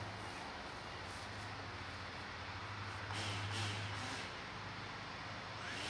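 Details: DJI Phantom 3 hovering outdoors at about 8–10 feet for noise comparison with Phantom 4: steady low propeller buzz with small swells as it holds position; healthy hover.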